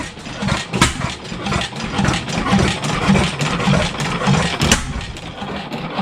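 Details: 7HP Stickney stationary engine, revived after decades of sitting, running without a muffler: slow, uneven firing about two beats a second that won't pick up speed; owner suspects an air leak, then finds the hot/cold choke setting wrong.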